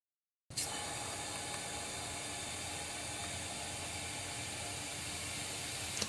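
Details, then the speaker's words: Boost leak test with hair spray, intake pressurised: steady, even hiss of escaping air for several seconds, coming out at the front. Sizeable boost leak. "I hear air it's going to open up after there you go find it find it [Music] yeah I got it coming out the front right behind the bu that's a [ __ ] big boo dude a that's a mega"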